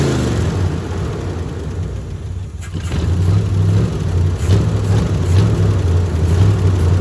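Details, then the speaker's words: Old 350 V8 with open headers, needing a tune-up, fuel filter dry, gas poured down the carb with bowls filled really full, on an old used battery: a loud, lumpy, uneven idle with stumbles; rough idle, probably missing on at least one cylinder. "And even if it doesn't idle for y'all, at least you'll get a little bit of kind of getting to hear this thing and hearing how goofy and rowdy and fun it sounds."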